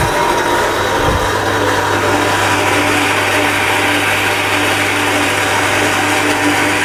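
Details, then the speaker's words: Shimizu Satelit 3-inch submersible pump fitted with APC SC-015E, out of water: steady low hum under a rough, hissing rattle that keeps going; pump running dry, noisy because empty inside. "pompa ini kalau kosong maka suaranya agak berisik ya karena dia kering di dalam."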